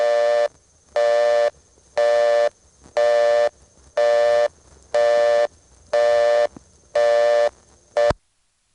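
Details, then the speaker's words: ITT Pentaconta crossbar office, Asheboro NC, March 1977: dialing 1+ long distance from a coin phone returns a plain busy signal as toll restriction, steady bursts about once a second, half on and half off, misleading callers into thinking the party is busy. "old busy signal doesn't seem like a good idea as a toll restriction indicator they actually have a signal here that would work better because at least it would tell the customer that something was wrong rather than making them think their party is actually busy"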